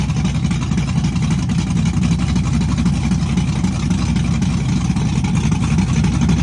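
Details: Chevrolet S-10 with a big cam on open headers, cold start with Holley red electric fuel pump: loud, deep, choppy rowdy idle loping about four times a second; cam exhaust lift 480/488, advertised duration about 297; normal lumpy cam idle.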